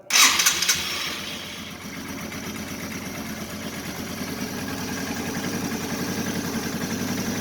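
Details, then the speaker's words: Yamaha TW200 in neutral in a warm garage, just after an oil change with fresh oil filled to the sight glass: starts at once with a brief rev, settles to an even idle, no knocks or ticks. "We're going to turn the bike on for a minute, make sure it's in neutral. Go ahead and start"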